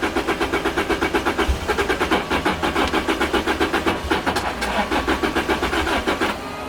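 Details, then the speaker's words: Turbocharged 275hp Lotus Elise with a new fuel pump, fuel sock and fuel pressure regulator. It gets endless even cranking with no catch, wanting to start but sputtering out. The tach reads about 1000 rpm with the engine off, and the owner suspects the tune. Crank, no-start. "i mean i can crank it endless it just doesn't want to start it sputters"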